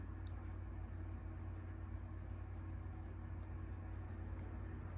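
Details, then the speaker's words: Bearings of an OBM surface grinder attachment, unmaintained after about a year and 130–140 uses, spinning with a smooth steady hum, very freely, with no grinding or stickiness. "no grinding no nothing they spin very free so that's good"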